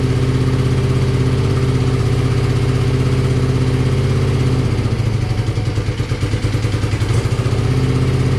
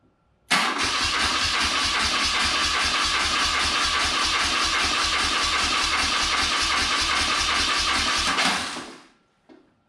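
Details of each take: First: BMW R65 boxer twin motorcycle (owner thinks 1983 or 1984), on partial choke: deep, even low thump holds steady with no clunks or misses, and it settles into a smooth, healthy idle. The left side smoked noticeably. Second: Circa 1983–84 BMW R65 twin, first start attempt with starting fluid sprayed in the left side: steady starter churn about three or four beats a second for eight seconds, then a lone pop backfiring out the right side.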